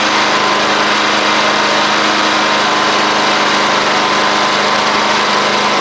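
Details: Murray 24-inch riding mower with Briggs engine, previously water and rust in the fuel, now running on clean gas after the carb was pulled and redone: loud, steady buzzing fast idle with no misses or knocks, still clearing itself out.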